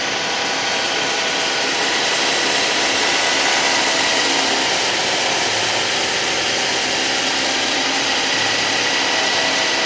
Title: Suzuki Grand Vitara 2006 2.7 V6 Cold Start, wierd grinding sound...